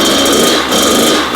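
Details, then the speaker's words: Kawasaki KX100 two-stroke after its first top-end rebuild, fuel issues and a faulty exhaust gasket fixed: a sharp, crackling buzz at high revs with throttle dips, the crisp "popcorn" ping of a fresh rebuild; healthy. "it sounds fresh I mean we got that popcorn sound that you get with a freshly rebuilt two-stroke"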